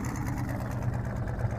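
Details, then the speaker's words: Ford Mustang started for the first time after sitting 8 months, with prior motor problems and a charged battery: a low, lumpy idle with an uneven stumbling exhaust beat. It is a cylinder misfire, not a lumpy cam. "You got a cam in this thing? That ain't no cam, that's just a bad misfire."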